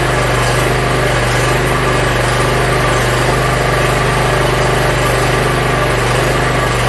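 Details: Yard Machines (MTD) 42-inch riding mower, small engine, after carburetor cleaning and freeing a stuck emergency shut-off: starts and idles cleanly with a loud, steady, even quick beat, no misses or surging; runs pretty good.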